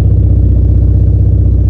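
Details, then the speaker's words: Mitsubishi Lancer after the misfire was fixed and distributor timing advanced slightly, heard at the rear of the car: steady, even exhaust pulse at idle with no skips; no misfire, with plugs, high-tension wires, distributor, injectors and fuel supply all good. "misfiring malinis malinis ung andar n ano good siang spark plug good ang high tension wire okay ang distributor good ang injector okay ang fuel supply"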